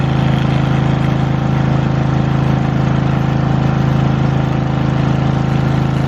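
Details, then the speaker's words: Lincoln Weldanpower 150 welder/generator bought cheap, started with fuel on and choke after new fuel line, air filter and oil change still pending: steady, even engine drone with regular beat, no stumbles or knocks; normal running, machine works. "Who'd have thought? But the machine works."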